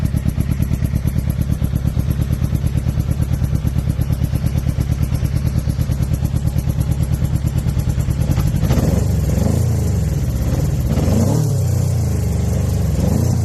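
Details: 2006 Suzuki GSX-R 600 four-cylinder with lumpy, uneven idle pulses and a stumble when revved; owner unsure whether it is a misfire or a dead cylinder.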